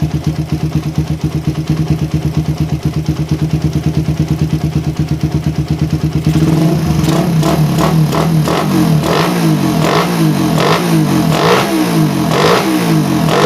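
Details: Suzuki Satria FU, standard daily bike, fitted with new PE 28 carburetor: single-cylinder idle pulses, then revs rise and fall in uneven blips. Air screw set for highest RPM at one turn; idle still slightly unstable.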